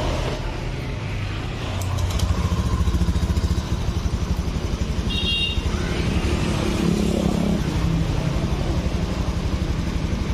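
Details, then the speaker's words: Honda Beat eSP 2015-2016 scooter, rebuilt engine after hot sluggish complaint, fuel pump pressure 40 PSI, after throttle reset mode 1: quick even exhaust pulses picking up cleanly with throttle, no misses; normal running. "nih, seharusnya motor ini enak lagi. Seharusnya. Tuh, respon."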